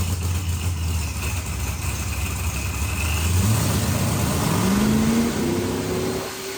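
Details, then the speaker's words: Procharged billet-block LSX Corvette on the dyno: the supercharged V8 winds up hard, then stumbles briefly near the top, twice. Over-fueling is suspected, but the data didn't look over-fueled, so the cause is unconfirmed. "sounds like it's got like a little like hiccup or whatever it did it like twice or whatever"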